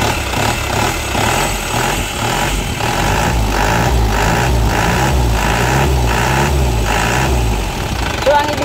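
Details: Diesel that cranked but wouldn't start, shut-off valve wired directly to positive to get fuel to injection pump: steady low idle with slightly uneven chug; fault was missing supply to shut-off solenoid, suspected wiring.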